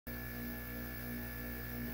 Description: Plug in and buzzes even if it's off